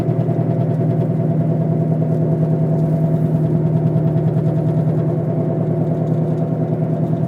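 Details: Car while driving, noise began the day after wheel bearings were replaced: steady low droning growl with fast rough pulsing, louder when accelerating, vibrating the whole car, silent when braking to a stop; source undetermined.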